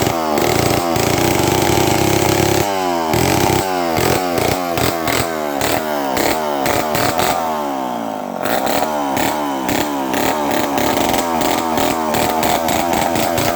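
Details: Homelite 500 chainsaw, no muffler, first test run after carburetor rebuild with Hi and Lo needles opened 3/4 turn: loud raw two-stroke bark with quick throttle blips, picks up cleanly and keeps running; healthy.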